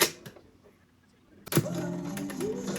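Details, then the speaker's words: Clicking noise during cassette playback on a portable radio-cassette unit whose radio works; soft irregular ticking under the playback hum from the transport, take-up wheel still turns, cause not yet found. "The tape does play, cassette does play, but there's a clicking noise."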